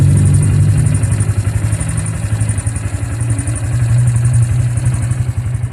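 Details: Bajaj engine running after the engine was opened up, with a deep, uneven thump and a light clatter riding on it. Abnormal engine noise; cause unclear.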